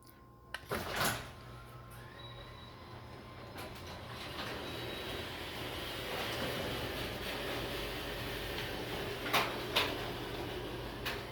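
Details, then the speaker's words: Garage door jamming again after stopping halfway going up the night before: long scraping drag with hard clunks near the end, binding and dragging in its track. Rollers likely need adjusting. "Last night, going up, it stopped halfway. But it's dragging again."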